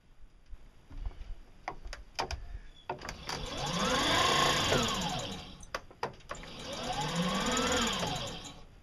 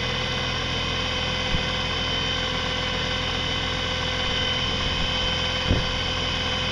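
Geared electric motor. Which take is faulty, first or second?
first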